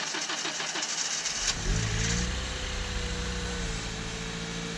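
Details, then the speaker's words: High-mileage Honda Civic Si (K20Z3), before timing chain tensioner replacement: cranking drags over a second before the engine reluctantly catches and settles to idle; a hesitant start, owner suspects the starter. "I know you guys heard that it was super hesitant to start got me starting to think like it's my starter"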